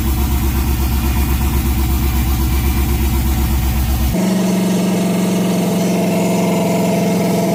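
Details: LS-swapped (4.8/5.3) 1990 or 1995 Chevy OBS truck, first start of the swap: steady, even V8 idle pulsing at a regular beat with no misfire or stumble before music covers it; normal idle.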